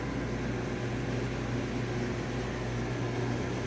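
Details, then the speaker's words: GE dryer (model 453EB2W) after front and rear drum bearing replacement, powered back on: steady, even low hum of the drum turning with no squeal, thump or scraping; runs smoothly. "fire it up and see if it works. All right. All right. Looks like it's working."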